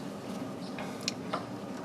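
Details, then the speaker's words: John Deere 350B during steering clutch and brake adjustment after clutch replacement: sharp isolated metallic clicks as the linkage is pried, the clutch fork touching the throwout bearing. "Now there's a return spring that's returning it, but if you push a little bit harder, you'll feel a click and hear a click when the clutch fork touches the throwout bearing."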